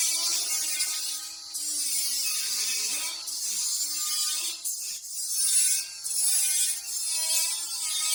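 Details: Welding on a trailer main frame repair: harsh hissing crackle with a wavering buzz that keeps dropping out as the arc spits and breaks; welder suspects poor prep, thick paint, or a bad ground; erratic, spitting welding arc.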